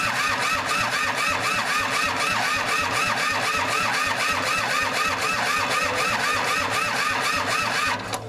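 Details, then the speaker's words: Kubota L2500 diesel tractor, long-sitting engine freshly cobbled together, glow plugs apparently not heating, throttle not responding, weak battery: steady starter churn with uneven weak firing pulses, not picking up; misfiring while cranking. "you could tell that what is firing is horrible and I'm not getting any throttle with this thing"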